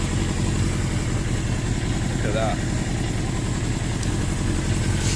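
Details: 1982 Suzuki GS650GT motorcycle first running, choke cable broken: low lumpy idle with uneven thumping pulses, running rough; owner suspects fuel not really getting through.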